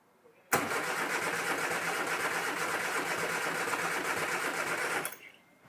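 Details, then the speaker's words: Rare Mk1 Austin Mini barn find, first start attempt with electric fuel pump on, choke and throttle: starter cranks steadily with an uneven chug but it never fires; next step is removing the air filter and checking the plugs, which are oily from lube put down the bores. "right so it's not firing but what I'll do is I'm going to take the air filter off and just have a look"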